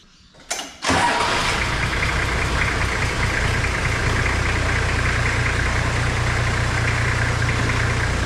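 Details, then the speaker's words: Toyota Landcruiser HZJ75 diesel after power steering pump replacement, refilled with 600 ml of oil and started with the wheels on the ground: steady, even idle with no whine or grinding from the pump; normal idle. "all right this sounds a lot better just going to jump underneath it check for legs make sure that pump and mounting a ring none of it has any oil leaks"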